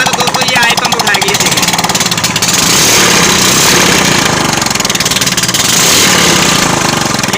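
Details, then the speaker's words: Suzuki Sprinter 110cc four-stroke motorcycle engine just reassembled, checking oil pump: revs crisply and settles with a fast, even exhaust beat, no knocking; running healthy with oil reaching the top end. "यह दोस्तों मैंने band कर दी है की हमारा properly मिल अच्छे से उठा रही है"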